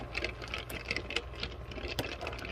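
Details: Lortone 45C rotary rock tumbler running with drum back on, just after oiling the plastic bearings with 3-In-One oil: steady light whir with soft irregular tumbling clicks from the barrel, no squeal or grinding; normal running.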